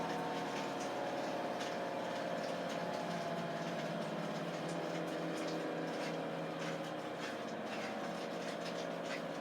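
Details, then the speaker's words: 11-year-old Samsung WF419AAW/XAA front-load washer, after repair of tub wobble, spin banging and no-drain: smooth, steady high-speed spin whir with constant hum and no banging or thumping; drum now spins normally, a satisfying fix. "so here it's going good high speed and walk with my feet so that's a satisfying fix"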